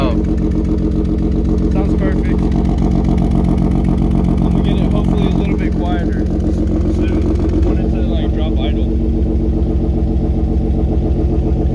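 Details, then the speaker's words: BMW E36 idling after the exhaust leaks were fixed, first start, not yet warmed up: even, steady idle burble with no puffing or ticking from the manifold joints; sounds healthy, though the muffler is said to be blown. "Oh yeah. She sounds mint. Perfect."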